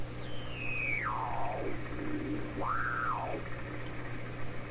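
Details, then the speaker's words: 1928 RCA Victor Model 28V receiver, before final alignment, tuned across a station just below 900 with an SDR monitoring. A heterodyne whistle sweeps down, then rises and falls; the radio is oscillating at the frequency being tuned. "But the fact is, I realize now, what that sound might be telling me is the radio I'm tuning is actually oscillating at the same frequency I'm trying to tune in."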